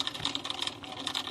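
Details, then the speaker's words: Aquarium external canister filter, flow suddenly reduced: fast, uneven high-pitched clicking and rattling with no smooth motor hum as the impeller jerks instead of spinning. Cause: broken magnet on the impeller shaft, later repaired with glue. "那这也就是表示什么呢？它这个轴心应该是坏掉了。你看它会这样稍微动一下，要动不动，很像我们电风扇那种在处理是一"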